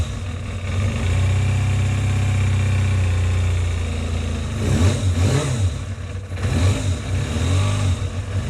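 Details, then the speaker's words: Kawasaki ZXR 250 first start in about 18 years, after oil and filter change, warming up while checking for an oil leak: steady slow idle from the small engine before a few throttle blips; runs, but idle sits a little too low. "was like the idol could go up a little bit"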